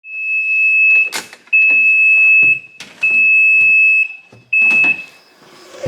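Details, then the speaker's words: Yamaha Viking side-by-side unused a while, noise only in high or low forward, none in reverse; owner suspects stuck micro switch or mouse nest: shrill steady tone pulsing about one second on, half off, with clunks; cause unknown. "it only seems to make that noise when we're going in like high or low forward we put in reverse no noise"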